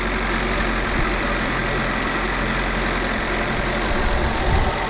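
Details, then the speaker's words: Fiat Panda 100hp Sport petrol idling just after first start following two years sitting, with new battery and belt, and the seized alternator freed and oiled now charging; steady even hum, no knocks, squeals or grinding; normal idle. "so that just saved us buying an alternator basically the alterator was stocks from sitting"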